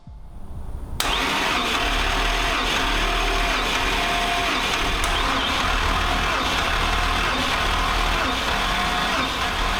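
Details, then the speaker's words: 2014 Super Aéronautique 230 surf boat bought wrecked and flooded, after engine flushes and a starter clean-up. Compression test cranking is steady and even, about four pulses a second with no knocks. Numbers are good; some read slightly higher from fluid still in the cylinders. "okay now what we're gonna do we're gonna do a compression test make sure that these numbers are correct"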